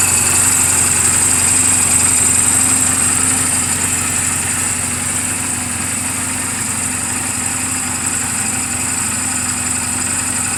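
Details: 2007 Honda Rebel 250 in neutral, oil just changed and valve clearances just adjusted; steady single-cylinder putter at idle, about four pulses a second, no knocks or misses: normal idle.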